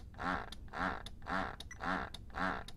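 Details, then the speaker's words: Medela Swing breast pump after repair (apparently only the fuse was dead) running at likely maximum suction: even, rhythmic pumping strokes nearly two per second, clean repeat, no rattle; normal pump operation at full suction. "so there we go I can hear that wow really ramping this that's probably that's probably Max now can really hear that"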